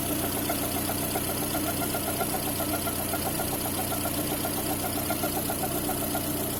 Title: Свист ремня ГРМ?